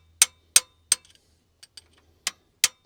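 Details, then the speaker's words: GM Detroit 12V71 supercharged two-stroke V12 diesel in a Wabco Haulpack dump truck, sitting for years. Sharp metal taps on a previously seized valve, now freed, give light rebound ticks, a springing, bouncing sound unlike the solid sound of a stuck valve. "St let go there different sound you can hear it straight away it's a different sound a springing bouncing yep hear that bouncing sort of"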